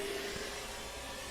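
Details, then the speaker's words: Pioneer SX-1250 receiver FM tuner after servicing, fed a 1 microvolt test signal: thick hissing static nearly buries it, but a faint steady tone still comes through; normal sensitivity at very weak signal. "there is one microvolt and although there's a ton of static you can still hear the tone"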